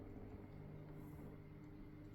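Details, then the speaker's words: Weipro TC-900C 600 L/h internal aquarium filter running: low steady hum with a faint buzz, caused by the pump vibrating against what it touches; the noise goes away when it is moved off, and the motor itself is silent. "So, that's where your vibration's coming from. It really is moving a lot."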